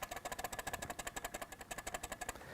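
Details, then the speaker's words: Canon 100 mm f/2.8 macro lens, unpowered, handheld: rapid even clicking rattle, about eight taps a second, from loose image stabilizer elements; normal, not a defect. "sind diese Linsenelemente einfach komplett lose und schlackern ein bisschen hin und her, um es mal ganz einfach zu sagen. Das Ganze kann ein bisschen lauter sein, wie hier beim Canon 100 mm Makro"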